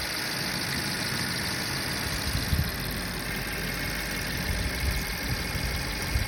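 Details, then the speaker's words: 2011 BMW 550i F10 N63 manual after high-pressure fuel pump replacement and vacuum leak fixes: first start gives a smooth, steady idle with an even low rumble, no misfire. "start it which is what i'm about to do well it's not misfiring my baby"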